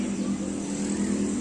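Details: Motorcycle fuel pump that had stuck with no sound and no fuel, after being sprayed with carburetor cleaner: short, steady low hum at key-on with no stutter or rattle, and fuel now flows out; the pump primes normally.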